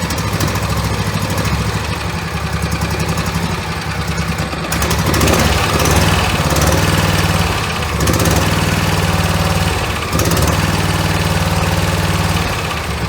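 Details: V-twin Briggs and Stratton mower engine after governor adjustment: steady, even beat with a couple of smooth load swells, no hunting or surging; running normally.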